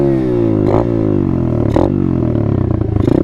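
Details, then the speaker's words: Dirt bike launch demo: engine held high, note sagging slowly as clutch is let out slowly under heavy throttle; clutch slipping and burning the plates. "you want your bike to last longer than a couple days don't do that okay if that's the only way that you can really take off initially I guess you'll be alright but you're gonna be burning your plates"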